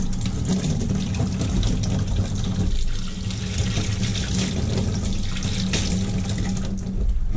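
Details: Kitchen faucet on a combi boiler system after the valve was taken apart and flushed: water runs with a smooth, steady rush and no banging. The earlier air/water hammer is fixed and flow is normal.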